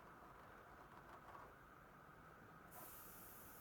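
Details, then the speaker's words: Coleman 288 lantern being cleaned up, failing to light: soft steady hiss brightening as the fuel cap opens; tank holds pressure normally, but fuel nearly empty. "We definitely got pressure. Maybe there's just a little bit of fuel."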